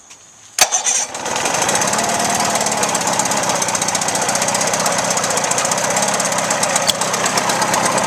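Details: Outboard motor test run after water pump replacement and shift shaft alignment check: sharp start, then buzzy steady idle with no misses, pumping water well; normal idle.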